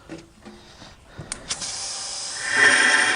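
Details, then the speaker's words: Porsche 911 Turbo 997.2 boost leak test: after a few clicks, a steady sharp hiss builds and holds as the blow-off valve leaks under pressure; its o-rings look good, so the spring is stretched as a temporary fix. "and now the other side is leaking i see it's fighting against this"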